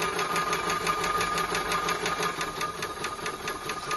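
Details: Maxitrak 5-inch Alice steam locomotive, feed pump tested on cold water with bypass closed: even light clicking about three strokes per second, steady and unbroken; pump running normally, tank water level dropping.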